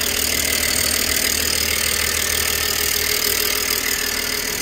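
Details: 2007 BMW E90/E92 318i convertible just after a rocker cover gasket change, with no leaks found: a steady, even idle with a smooth hiss and no knocks, misses or rattles. Normal idle.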